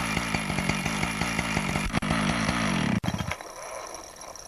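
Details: Husqvarna 575XPG chainsaw after clutch repair, no load on clutch, checking oil pump output: crisp two-stroke buzz with a few light throttle blips, clean and even, then shuts off; saw runs properly and oils well.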